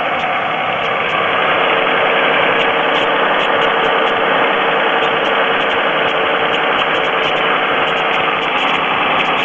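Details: 3.4L GM engine in a Pontiac at steady idle with a light, fast, uneven ticking on top; oil level is full, the noise later stops completely, and the owner suspects piston slap, unconfirmed.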